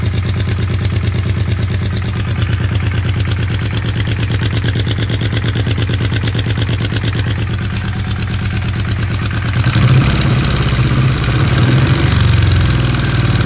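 Steady rapid clatter at about three per second over the idle, turning rougher and louder as revs rise near the end; source unclear.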